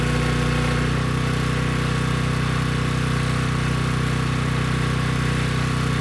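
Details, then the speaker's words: Briggs and Stratton Storm Responder generator after cleaning a dirty carburetor: steady, even drone with no misses or surging, generator head making power and handling a 3000-watt load without issue; normal running. "okay good no surprises the engine started right up it sounds good and the generator head makes power and could handle the 3000 watt load without issue"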